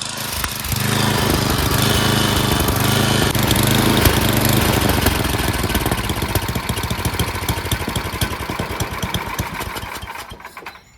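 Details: Craftsman 928 snowblower, 9 hp Tecumseh single-cylinder, before repair: rough running, speed sagging and swelling unevenly before dying away. Surging and stalling; the carburetor needs cleaning.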